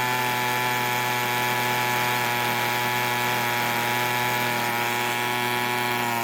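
A constant high buzzy drone holds one speed without stumbling or dropping out; the little two-stroke is running smoothly.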